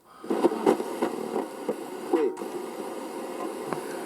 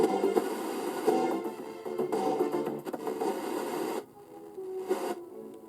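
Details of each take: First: Roberts Revival R250 vintage radio, dial pointer swept up and down repeatedly: irregular crackles and scratchy pops from dirty contacts in the polyvaricap tuning capacitor; working the dial clears it, no-cost fix. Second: Roberts Revival R250 vintage radio after repeatedly sweeping the dial to clean the polyvaricap tuning capacitor contacts: music plays clean with no scratching or crackle; scratchy tuning resolved at no cost.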